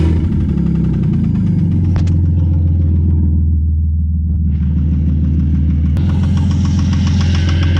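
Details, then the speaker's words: Ford Falcon XR6 Barra inline-six, manual, fresh thick oil plus stabilizer: deep irregular knock roughly two per second while running; brass in the oil, stabilizer failed, worn rod bearing. "no all right so the oil stabilizer didn't work we put oil in the engine and it's still knocking its head off there's brass in the oil"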